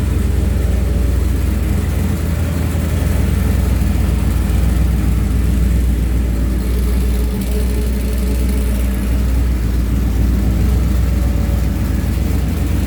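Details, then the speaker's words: Smooth, steady, deep engine rumble with no stumbles after fitting a new #10 PTFE feed line to the Magnaflow 750 Pro-tuner pump and cleaning the 100-micron post filter. It holds a solid 43 psi; debris from the old rubber braided line had clogged the filter, causing stalling in reverse. "so the pump sounds way better with that new line on clean filter it also runs way better too 43 psi rock solid nice"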